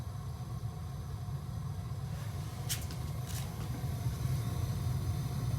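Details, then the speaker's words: Gas water heater being relit: after the pilot flame is lit, the knob is turned from pilot to on and the main burner lights with a low, steady roar that swells and holds evenly; normal main burner ignition. "then you come up here and twist this back to the on position so when you bring it to the on position this way then you have then you hear the big sound that means the fire becomes big there which looks like this I'm gonna show you"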